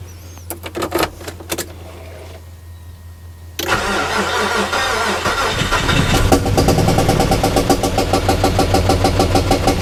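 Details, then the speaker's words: Car just topped up with oil after running three quarts low, brake light switch short suspected: cranks, catches, then lumpy uneven idle with irregular stumbles, not quite a knock; owner suspects a blown head gasket from coolant smell. "it's an interesting noise it's not really like a a knock it's I don't know almost sounds like there's O2 missing or something"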